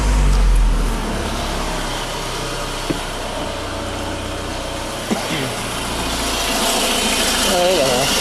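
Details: Renault Megane with a complaint of variable pulley noise: a steady, even low idle with no squeal, rattle or rubbing from the front of the engine, and the pulley side sounds healthy.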